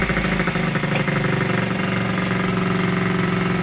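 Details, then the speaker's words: 1969-70 Honda Z50 first run in 35 years after front fork repair, points and carburetor uncleaned, idle air being adjusted: quick even putter with steady beat, no misses or rattles, settling into a clean idle. "there you have it running after 35 years first like a kitten didn't even have to clean the points or the carburetor"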